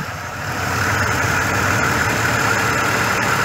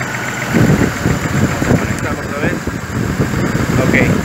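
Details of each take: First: 2005 GMC Envoy 4.2 inline-six after servicing the starter motor: engine picks up then holds a smooth, even idle with steady hum and no stumble. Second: 2005 GMC Envoy 4.2 inline-six, running at idle during diagnosis, scanner connected, oily engine with toasted-looking wires: uneven idle with irregular stumble and loping low thuds; steady single-cylinder misfire, coils being swapped between cylinders 2 and 3.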